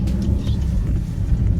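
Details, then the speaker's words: Vauxhall Insignia on road after fixing leaking EGR valve (loose, hand-tight bolt replaced with longer bolt): steady low drone pulling, no hiss or whoosh; previous boost-leak-like noise gone, pulls well. "wow the car pulls really well now guys oh I'm so happy obviously I'm not going to know on until I go into the motorway but so far I can tell there is no boost leak sounding type of noise"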